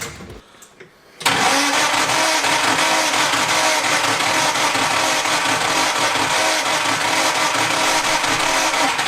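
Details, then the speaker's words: 50-year-old Van Diemen Formula Ford race car, first start in 30 years after rebuild: brief cranking, then the engine catches at once and runs loud, crisp and steady with no misfire; starts on the button. "nice one but she starts on the button"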